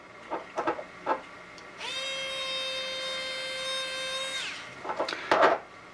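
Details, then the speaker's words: American Flyer Berkshire locomotive smoke unit motor run on 9 V battery; spins up to steady, even mid-pitched hum with no high-pitched squeal, a good motor. "That's the sound of a good motor. Like I say, if you have a bad motor, you'll get a real high-pitched squeal and you will hear it over the sounds of the of the engine and the chuff and things like that."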